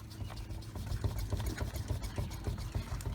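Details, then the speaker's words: 2008 Infiniti G37 at 179k miles, front wheel rocked by hand: dull, uneven low clunks about three or four a second from play; worn front wheel bearing. "if you grab the wheel with both hands and shake it you hear that noise I can shake this tire with two hands it's easier but you just grab the tire give it a good shake and if you hear this play"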